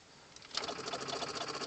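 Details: 1997 Chevy Silverado 2500HD 6.5L turbo diesel with a new PMD, no crank no start, wait-to-start light not coming on: key turned gives fast, even solenoid clicking with no cranking, batteries apparently too weak to turn the starter.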